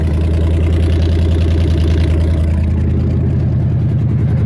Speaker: Number 4 back there is one I usually have trouble with, but it's kind of hard to get to it. You can hear a difference.